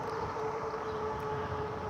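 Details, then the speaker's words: Zebra e-bike on a slow ride: thin steady squeal holding one high pitch from the rear brake, which has always squealed and was never fixed; owner suspects changing brake pads would cure it. "oh and the squeaking that you hear that is the rear break of my my zebra the rear break of the zebra is always had that squeal"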